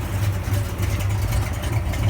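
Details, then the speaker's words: 1966 Chevelle, 360 horsepower V8 with Holley carburetor, after tightening up suspected accelerator pump and intake manifold leaks; deep lumpy but even burble at idle, steady beat, no miss or tick — normal idle, runs very smoothly. "You can see it runs very smoothly."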